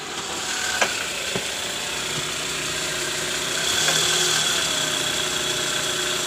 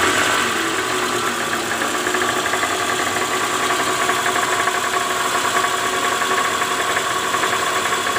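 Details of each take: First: Toyota Alphard 2AZ-FE after repairing the worn balancer shaft, whose no. 1 gear was loose: a quiet, smooth idle heard from underneath with no knock or harsh rattle. The rough engine noise is cured. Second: 2009 Toyota Alphard ANH20, 2AZ-FE engine, idling in neutral, heard from low near the oil pan: a coarse, rapid rattle that is worst at morning cold start and eases when warm. The balancer shaft is worn, with a loose No. 1 gear.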